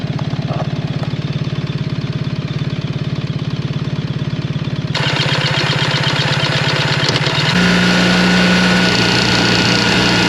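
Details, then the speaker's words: BMW R 1300 GS, about 10,000 km, cruising around 3,600–4,200 rpm: fast, even clacking, three or four a second, over the engine drone, mainly left cylinder; owner suspects ShiftCam variation, not confirmed. "donc comme vous avez pu le voir surtout entendre ce bruit vraiment constant dans la plage entre 3006 3008 jusqu'à 42 je pense c'est là où le chif cam varie et donc il y a ce de claquement et essentiellement de ce côté-là"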